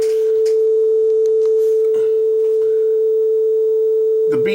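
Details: Sony TC-W32 dual cassette deck after both belts replaced, playing on the working deck: clean single tone holding steady pitch, no wobble or waver; tape speed steady, though the other deck shows flutter.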